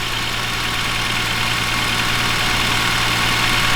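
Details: BMW E46 M3 S54B32 first start after timing chains, guides, tensioner, VANOS, oil pump, rod bearings and water pump service: slightly uneven lumpy idle under steady hum, rough from fuel sprayed in during initial cranking until it burns off.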